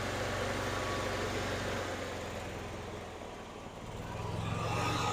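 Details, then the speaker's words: 2012 EZGO TXT gas golf cart, cold, on choke, after new carburetor, fuel pump and fuel filter for a no-start: engine runs lumpy and uneven, dipping and picking back up within seconds; still rough while warming up. "here comes the fuel through the pump come on oh well it runs now not very good"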